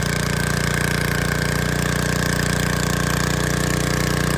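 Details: 1986 Troy-Bilt Horse 2412 rear-tine tiller after tine/PTO re-grease and transmission fluid fill: steady, even single-cylinder putter at idle with regular beat, no knocks or misses; idles cleanly and healthy.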